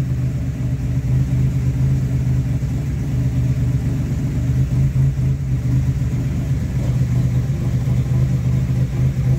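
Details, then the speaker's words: Pontiac Fiero 3.8L turbo at idle on its fourth MAF sensor, the earlier ones killed by a failed alternator: steady, even low hum with no misses or hunting, now holding idle fairly well; a normal idle. "It holds the idle more or less well. That's all we can hope for now."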